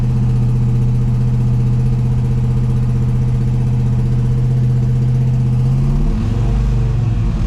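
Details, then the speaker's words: General Lee Dodge Charger with new big block V8, cam break-in after oil priming: deep, steady drone held around 1,900 rpm with occasional blips, even firing on all eight, slight dip near end; ignition timing still unset. "Engine RPM about 2,000 RPM. It's it's kind of hard. As soon as I hit that 2,000 mark, it wants to peak. So I'm kind of just holding it here at 1900 and occasionally blipping the throttle. Sounds like it's running on all 8."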